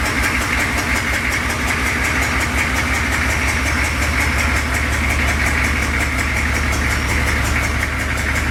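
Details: Lowered 6.2 diesel Suburban at loud idle with a terrible exhaust leak: a sharp, rapid puffing tick, about three per second and steady, over the clatter. The fix is replacing rusty pipe with pipe from the junk pile.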